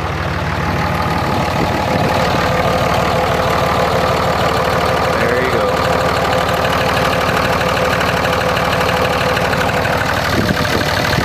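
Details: 2004.5 Ram 2500 Cummins diesel: rough, fairly regular knock about three per second over the clatter; heard under load in gear and when the truck rocks, goes away at idle in park; cause not pinned down.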